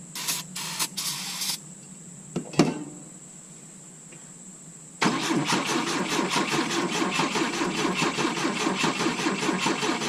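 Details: 1972 Volvo 145 on rigged fuel with vacuum ports plugged: cranking, a brief catch, then an uneven, lumpy idle with ragged beats; misfiring from disconnected plug leads, also a major vacuum leak, runs well once reconnected on four.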